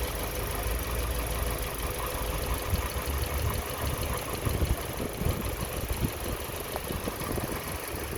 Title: 2020 Toyota corolla engine 1.8L bearing rattling sound